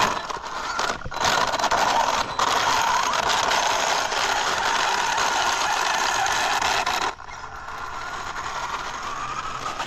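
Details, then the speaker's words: Two-year-old Traxxas Unlimited Desert Racer RC truck on 4S (two 2S LiPos), driven on throttle: loud rough ratcheting and clattering rises with throttle, then drops as it rolls; still drives but louder, typical of a chewed-up center differential. "Okay, see, now it rolls like, now it rolled like there was nothing wrong with it. Okay, it's just louder, but it looks like it still drives."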